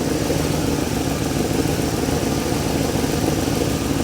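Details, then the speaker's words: Truck that lost most of its oil when the drain plug fell out, now with a new oil sending unit and filter: steady, quiet, even idle with no knocks or ticking. The engine sounds normal. "Honestly, listen to how quiet this thing is. It's amazing."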